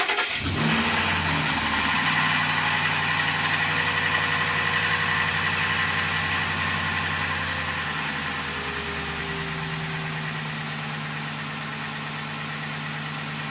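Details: 2002 Ford F150 5.4L 2V V8 cold winter start after timing chain, oil pump and exhaust gasket replacement: fast steady light knocking over idle, strongest cold; owner suspects piston slap, common on these engines, not confirmed.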